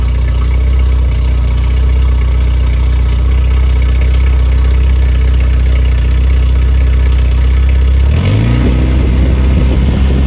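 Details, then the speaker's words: Rebuilt Triumph Spitfire 1500 engine on test run, no muffler so loud; fuel pump clicking audible. Compression 190–210 psi, oil pressure 80 psi cold start, not below 47 psi hot. Steady even open-pipe idle, quick rev at end: normal start and idle. "that clicking noise is the fuel pump and uh does not have a muffler so it is a little bit loud"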